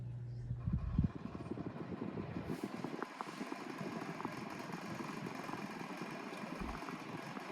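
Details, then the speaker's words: Pelonis table fan running: fast, uneven buzzing rattle from the loose front badge, which doesn't stay in place; otherwise the fan is very quiet. "already the badge does kind of rattle it's just get like that it doesn't stay in place"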